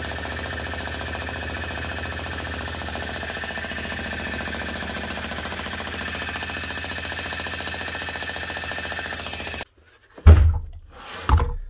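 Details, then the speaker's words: Old Bosch GSH 27 demolition breaker hammer after repair by washing out dried grease and adding fresh grease: steady rapid even hammering with no rattles, getting stronger as the new grease spreads, then stopping. "that's her ready for work that'll keep getting stronger and stronger now the more that's actually running as you can hear whenever started off she's fairly quiet wasn't making a lad hammer"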